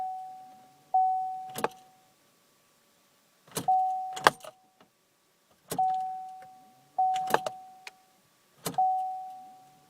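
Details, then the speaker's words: 2008 Saturn Vue that won't start or cuts off when the cabin is warm, about 85 °F inside: no engine running, only a warning chime every couple of seconds with relay clicks as everything loses power and the engine light stays on. "everything goes off engine light stays on"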